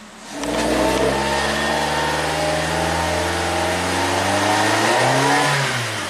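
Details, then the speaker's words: 2008 Suzuki SX4 with low power, checked for shifted cam timing against a known-good car: revs climb briefly, then bog and hang with an uneven drone; it will not free-rev above 1,500 rpm. "Same thing. It will not free revv above 1500 RPM. This is insanity."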